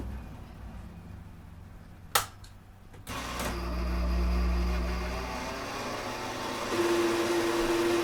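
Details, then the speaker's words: 1960s Hammond M101 organ, long unplayed, during servicing: click as start button now engages right away, then low hum with uneven rough whirr and nasal tone, like a sick cow; dry tone generator still running rough. "at least when I hit the start button now it's engaging right away still sounds like a sick cow"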